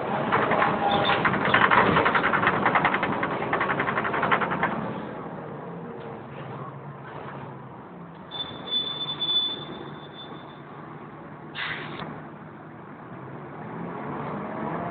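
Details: Wright Fusion bus 10028 (T211 VWU) in service, recorded on board, 2009: an odd rattling, ticking engine noise comes and goes, with a brief high whistle. Cooling fan or something else suspected.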